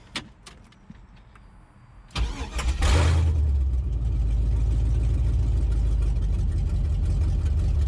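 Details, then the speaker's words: Chevrolet S10 with LS swap, retuned for 50 lb injectors (42 lb rated, run at 58 psi): quick crank catches and settles into deep, steady, even idle with no stumbles; starts and runs much better than before. "not bad not bad i gotta say she started up and sounded a lot better this time than she did the last time"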